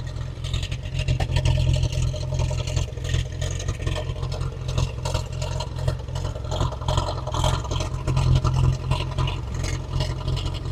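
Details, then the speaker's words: 1915 Scripps-Booth Vitesse V8 race car, about 100 miles on the rebuilt engine, just crank-started before tuning the Zenith updraft carb: a deep, lumpy, loping idle that never settles, with black smoke; very rich idle mixture. "definitely jumping up of course really rich yep uh we're seeing a little black smoke coming out too so that's extremely rich"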